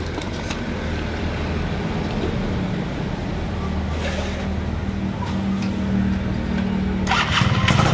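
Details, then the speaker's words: Yamaha F1ZR stock two-stroke carburetor set rich with a larger pilot jet; idles then revs climb quickly off low throttle with a crisp, eager pickup from the bigger pilot jet. "teman-teman lihat sendiri dan dengar sendiri dari tarikan RPM gas awal itu terdengar suara rpmnya itu cepat naik dan lebih perbet ya Nah itulah kalau perbedaan misalkan pilot jeinnya lebih gede"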